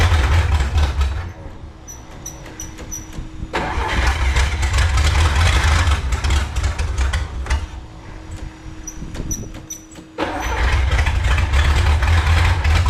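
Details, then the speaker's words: 1954 Chrysler New Yorker 331 Hemi V8 hot-wired after 50+ years in a salvage yard: catches in short rough bursts, dies back to cranking, refires; won't keep running, owner suspects too much fuel pressure from an unregulated roughly 5 psi pump. "Try something here. I had to try before. Might be too much fuel pressure."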